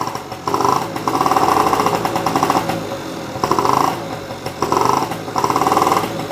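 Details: Honda Spree two-stroke scooter after brake repair and a new tire, kick-started after sitting: buzzes up in short throttle blips and drops back, smoking a little, possibly from the exhaust not fully cleared; normal running.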